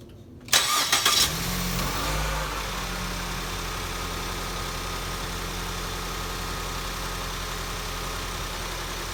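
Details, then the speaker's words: 2014 Ford Escape 1.6L after head gasket replacement, warmed up and driven: catches quickly with a brief flare, then a steady, even idle with no knocks or misses; runs healthy, repair called a success. "So far, not to jinx anything, but so far I would call that a success. Runs good. Drove it around, warmed it up a couple of times. Runs remarkably well."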